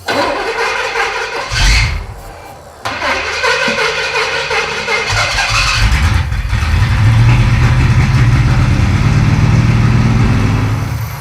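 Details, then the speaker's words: 1937 Pontiac junkyard car on a battery charger, second new mechanical fuel pump fitted, cranking evenly about four turns a second but never firing; no fuel reaching the carburetor, missing pump eccentric or wrong pump suspected. "That's two fuel pumps that don't work. That's telling me that like there's no fuel pump eccentric inside the engine for some reason or we got the wrong pump or who knows what."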